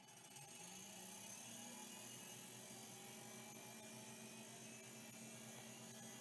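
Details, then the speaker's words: WD 325 10 MB stepper hard drive, the most beat-up unit, powered up: faint spinning whine with a rough, scratchy hiss underneath; suspected head crash, media later found flaking off the platters. "up now that sounds kind of head crashy to me not sure we'll find out"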